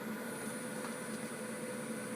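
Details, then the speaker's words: Dell Optiplex 760 revision A power supply running with no load; a thin, steady high-pitched squeal over a low hum, bad coil whine that is weaker than under load, so the unit was replaced. "yep, I can still hear it squealing. It's not squealing as bad because it's not under any sort of load, but you can most certainly hear it."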